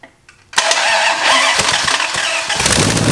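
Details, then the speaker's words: 361 Mopar big-block on a homemade run stand, first start, cam already broken in: the engine catches and blips hard, then sags and stumbles. It won't idle; the carburetor has almost no accelerator pump, a leaking float bowl, and needs a lot of work. "it sounds good but obviously it won't idle and I've got no accelerator pump really so and we got a leak here we got a nice nice leak out of the bowl so carburetor is going to need a lot of work"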